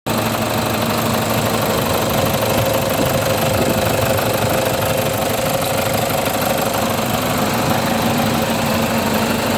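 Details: 2007 Toyota Fortuner after fixing a no-start problem: steady, even idle with a constant low drone and no misses, knocks or hunting; engine running smoothly again.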